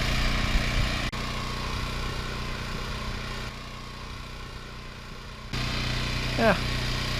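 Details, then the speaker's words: Westinghouse WGen9500DF dual-fuel generator heard from 10, 20 and 50 feet away gives a steady, even drone with no surging or knocking. It runs normally and is about as loud as others in its class. "sounds like about a knee generator in this class pretty much they're all kind of loud"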